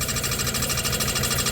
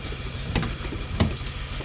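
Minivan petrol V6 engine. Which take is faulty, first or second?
first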